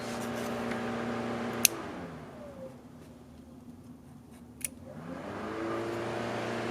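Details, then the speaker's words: Honda CRX with a B16A after a coolant flush: the radiator fan is wired through a clip in the fuse box and runs with the key at accessory. A steady electric hum spins down and builds back up evenly with no rattle, so the fan is working normally. "what you can do is turn on the card to full accessory and you could hear the fan turn on"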